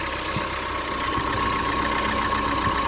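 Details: 2016 Ford Fiesta 1.6L just after oil change with 4.5 quarts of 5W20: fires up and settles into a smooth, even idle with a steady hum and no knocks or ticks, no leaks; normal idle.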